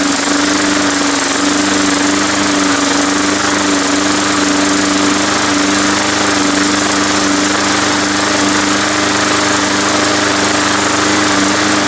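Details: Long-sitting MTD Yard Machines push mower after tune-up: small single-cylinder engine holds a steady, even buzzing note at constant speed without misses or knocks; running healthy.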